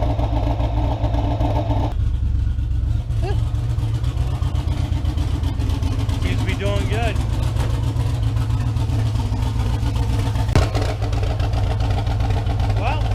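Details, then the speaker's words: Car "Ghost" after its problem was traced to a pushrod and fixed: a low, even rumble holding steady at idle with no knocks or misses; it earlier sounded a little rough. Normal idle. "looks like everything's running good Friday through our club other than that I think this thing's doing great"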